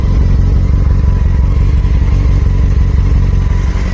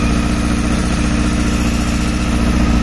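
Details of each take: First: 2007 Honda Hornet 600 four-cylinder after synchronization and fixing a leaking vacuum hose (cylinder 1 was dropping, false air entry): steady idle with deep, even exhaust pulse, no misfire or stumble; now responding better. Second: 2007 Honda Hornet 600 four-cylinder bike during synchronization: uneven, pulsing rough idle, cylinder 1 dropping badly, caused by a vacuum hose pierced by a screw and leaking.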